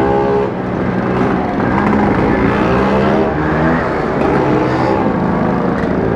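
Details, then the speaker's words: Vespa two-stroke riding in traffic: loud, raw, blatty note rising and falling with throttle; rider suspects the exhaust pipe is loose or broken at the neck. "Yoi, bener-bener nih suaranya berisik ini punya Mas Ipul ini. Kenaponya lepas ini kalau gak salah ya, patah itu kenaponya di bagian leher, kenaponya kayaknya patah kalau nggak salah."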